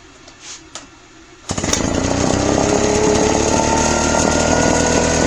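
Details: Craftsman backpack leaf blower two-stroke after carburetor cleaning (previously died on throttle): slow to rev up, then a strong, steady high-rev buzz without surging. Normal running at high revs.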